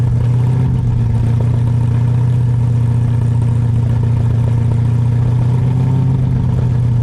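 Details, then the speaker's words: New Ford 351 Cleveland V8 in an XD ute during cam break-in: a smooth, steady deep drone held around 2200 rpm with no knocks, ticks or misses. Temperature and oil good; a healthy fresh engine. "Oh, this sounds beautiful, guys. Sounds beautiful, that's perfect. Oh, you've got it spot on, bro. 2200 feet."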